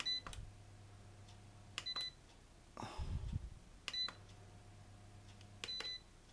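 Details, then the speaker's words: ERGO FS 1677 fan that starts then shuts off: it jerks, runs only on speed 1, and stops when speed is raised while the board beeps every two seconds; faint hum stops; suspected power-supply fault on the control board. "я включаю и он он дернулся и и начал пикать ну хозяин говорил что он маленькой скорости на 1 еще крутится начинаешь добавлять он вот он остановился"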